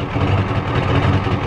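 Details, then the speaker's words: 1993 Ford F-250 XLT 7.3L IDI diesel, sitting about a year, warmed up at idle: lumpy, uneven beat that wavers instead of settling. Owner suspects it is out of time, unconfirmed. "it's warmed up now and it's not running too good it's out of time hear it sounds funny it's out of time"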